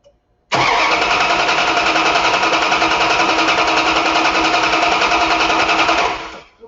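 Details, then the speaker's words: Brisk even cranking about five seconds during starter tests; cranking voltage stable at 10.4 V with about 150–160 A draw; battery and starter healthy, normal starter cranking. "ten point four volts at approximately one hundred and fifty six amps that seems just great it was stable the voltage was stable at ten point four volts and the the current draw was about 150 160 amps that should tell you guys that the health of the battery is good because you can hear the cranking speed"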